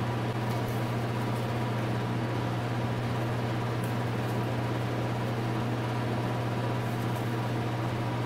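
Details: 2000 Cobra 50cc two-stroke racing mini dirt bike spun over with a drill at constant speed, no firing or catching; cranks but won't start. Owner suspects the bad-looking air filter and plans to pour fuel down the carburetor.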